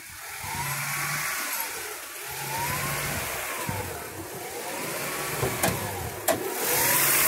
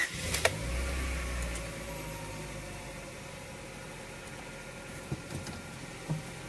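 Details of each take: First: 2000 Honda Prelude SH (H22) warming up, off the throttle, hunting up and down at idle about every two seconds. It holds steady rpm without misfiring when the pedal is held. This surging lasted six months before being fixed. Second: 2000 Honda Prelude SH H22 first start after repairing a six-month surging idle: catches and settles into a quiet, even idle, no hunting, sitting slightly high (suspected throttle cable or dirty intake); normal idle.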